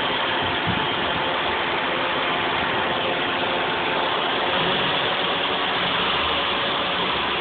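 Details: 2001 Toyota Celica GT at idle: steady loud hiss over an even idle, no knock or misfire rhythm; vacuum leak or head gasket leak suspected, not confirmed.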